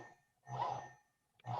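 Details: Lawn tractor steering motor after its drive PWM was raised from 500 Hz to 20 kHz to fix a squealing whine: two short bursts of low motor buzz as it turns, no high-pitched whine, running quietly and normally.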